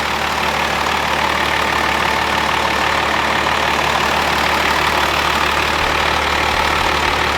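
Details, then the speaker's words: Old 12-valve Cummins diesel running on the shop floor after a jumper-wire start: steady, even, regular idle clatter with no missing beats or heavy knock; sound, healthy engine. "it was crazy how that thing fired so good that's why they are like the small block of the diesel world I mean they're just they're bulletproof engines those 12 off Cummins"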